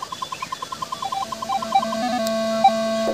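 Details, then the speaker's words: Minelab Equinox 600 gold detector: a few quick beeps, then a faint steady background hum, the normal threshold tone set low so weak target signals can be heard. "ये वो आवाज है जो हमेशा पीछे background पे हमेशा चलती रहेगी"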